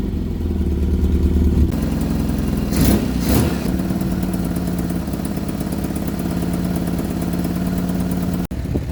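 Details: 1975 Vauxhall Viva HC four-cylinder, rebuilt and off the road since 1991, first start after carburettor work, warming up: it settles from a fast idle to a steady lower hum after a couple of blips and runs evenly without misses. Normal warm-up idle.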